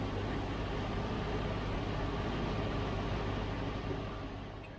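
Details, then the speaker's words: 1971 Range Rover Classic, cold start at about six degrees, CO about 4.5%: even, steady low rumble with no knocks, misses or surging, idling smoothly. "it is cold still that's what it could do cheaper number one eo so we're about six we're about six degrees four five percent it's about right very much cold starts seems to be chunking over quite happy"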